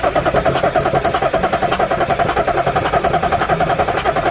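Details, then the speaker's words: 2014 Audi SQ5 3.0 turbo diesel, very high kilometres, crank-no-start, cranked with oil cap off: steady cranking beat about 3.5 per second with puffing each stroke; compression blowing into crankcase, a little smoke seen. "You might have seen a little bit of smoke, but we definitely got the compression going into the crankcase."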